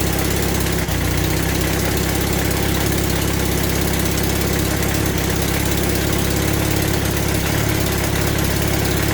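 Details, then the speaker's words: Temporary motorcycle engine on first startup idling unevenly with sharp ticking puff over exhaust note: exhaust leak, running not smoothly, some vibration. "Okay, running, but not well. Definitely got an exhaust leak from here. I can hear that exhaust."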